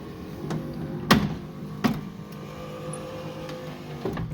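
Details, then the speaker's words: Lincoln Continental driver-side front vent window after remounting its loose, clunking gear: a steady motor hum with only a couple of light clunks; it runs much smoother, though not perfect. "that was pretty smooth makes a little bit of that clunking sound but just boy it works great a lot better"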